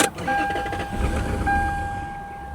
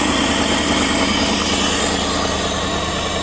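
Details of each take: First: Lexus LS400 abandoned 10 years, start attempt: sharp pop right at start, then engine stumbles and fades; backfire. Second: Lexus LS400 abandoned 10 years, after starting fluid and stalling attempts: engine catches after cranking and settles into a steady, even idle; owner suspects stale fuel and clogged injectors.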